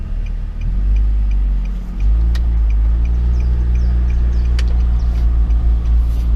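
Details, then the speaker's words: Nissan Livina automatic on a road drive after replacing the broken transmission mount: even road rumble while pulling away and cruising, with no thump on takeoff or shifts. The car is smooth, with no more driveline jolt. "O carrinho ficou bem macio, não tá dando o tranco que tava dando com o calço arrebentado."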